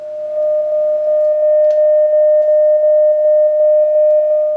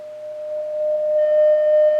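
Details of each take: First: Vintage Oahu 230K 6V6 tube guitar amp after rebuild with new coupling caps, played through a substitute shop speaker at high volume: clear steady test tone with no buzz or distortion, showing the original field coil speaker was blown. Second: Vintage Oahu 230K 6V6 tube guitar amp after power supply rebuild and coupling cap replacement; steady test tone turns harsh and buzzy as volume rises, blown field-coil internal speaker; substitute speaker plays clean.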